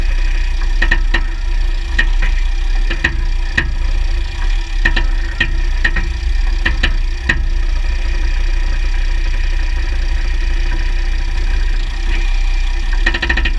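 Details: 2009 Jeep Grand Cherokee WK 3.0 CRD diesel, Quadra-Trac II, GoPro on skid plate: low diesel drone with sharp irregular ticks and clicks from the drivetrain; driveshafts test OK, front diff bushes replaced, transfer case oil swapped; source not yet pinned down.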